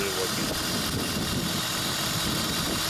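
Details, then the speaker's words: 2003 Honda Odyssey 3.5L, check engine light on, code P0305, engine shaking: uneven, lumpy idle with a stumble; unplugging cylinder 5 coil gives no change, showing a dead-cylinder misfire; coil wiring signal suspected. "there's a little difference when I unplug this one but when I unplug this nothing happens and literally died so there's a RPM drop slightly low"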